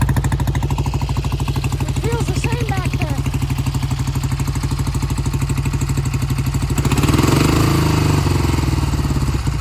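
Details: 1971 Triumph T120 650cc twin, cold start after sitting a long time: uneven, stumbling beat as the left cylinder cuts in and out and never comes in consistently; owner says it recovers once warm, but the mechanic did not see that; intermittent single-cylinder misfire.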